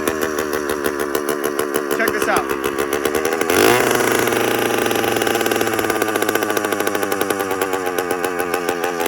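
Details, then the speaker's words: A 100cc two-stroke motorized bicycle engine, with idle just set by adjustment, keeps speeding up and slowing down instead of settling. It is a loud, hunting idle, and the owner is unsure why. "It also keeps fluctuating in RPM and I'm not sure why the engine pick up and it slows down a little bit."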